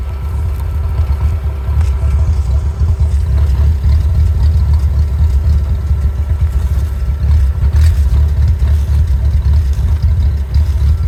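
Low, heavy idle that wavers and stumbles unevenly instead of holding a smooth beat; rough idle, cause not evident.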